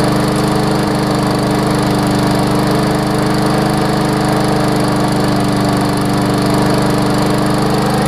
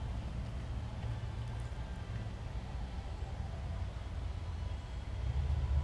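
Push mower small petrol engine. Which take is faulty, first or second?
second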